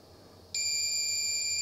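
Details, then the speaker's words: Sanyo Wavy 23 (PHC-23J) Japanese 100 V MSX2 computer loading from a real cassette recorder after a rewind. A clean, steady high-pitched data tone without dropouts; it now loads a BLOAD binary loader. The switch was probably between modes. Normal cassette data loading tone. "yeah now it works foam a b okay that's just a loader for B load binary load so probably this uh switch here was maybe in between modes"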